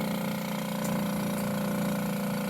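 Steady even pump hum with a constant low tone that settles slightly lower, no knocks or rattles; sampler pump running normally.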